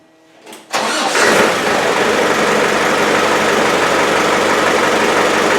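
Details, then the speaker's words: Ghana Land Rover Defender 110 diesel, after a full day of pipe work: short crank, catches at once, steady even diesel idle with loud intake because no air cleaner is fitted yet (K&N planned); normal start and idle. "That's what it should start like. Now, I haven't got an air cleaner on it, so it's a bit noisy, but I'm just going to put a K&N on it."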